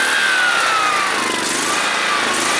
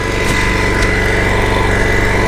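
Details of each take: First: John Deere SST-15 Spin Steer riding mower, jump-started after its fuel was emptied and its carburetor cleaned and adjusted; steady fast engine buzz with a high whine wavering only slightly, no stumbling, so it runs pretty nice. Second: John Deere SST-15 Spin Steer mower engine running on a jumped truck battery: steady buzzy single-cylinder drone with a slightly uneven beat, not settling smoothly. Rough idle; carburetor suspected, not confirmed.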